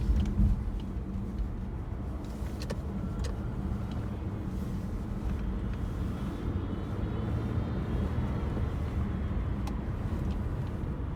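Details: Hyundai Sonata, heard when turning left or at cold start: continuous low, rough metallic grinding over the engine and road rumble, no clear rhythm; the source is not pinned down.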